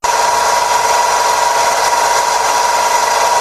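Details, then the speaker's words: Car engine bay: a steady, fixed mid-pitched whine or hum holds over a hissy background; it could be the alternator or the fuel pump, not confirmed. "if you don't think it's the belt is the culprit there's another sound you may want to uh listen for and it's going to be more of a hum and alternators are prone to do"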